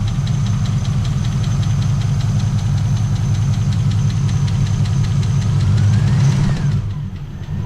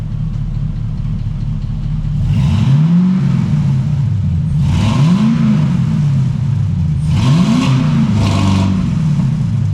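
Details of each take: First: LS-swapped Trans Am started after sitting a long time: a quick, steady light valvetrain tick over the rumbling idle fades as oil pressure comes up. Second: LS-swapped Trans Am after long storage, newly fitted exhaust and block-off plate, oil pressure up and earlier tick going away: deep V8 blips rising and falling three times over a steady burble, no ticking or rattles; healthy revving.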